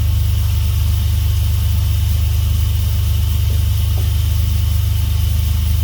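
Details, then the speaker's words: Swapped Dodge 3.7 V6 in a truck, first run after new crankshaft and camshaft reluctor rings cured a no-start. Steady low rumble with an even idle pulse and no knocks or misses: normal idle. "As you guys heard, it fired up. So that's good."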